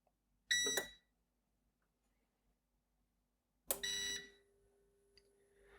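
Two short bright beeps about three seconds apart as it powers up on battery. This is a healthy start-up beep pattern.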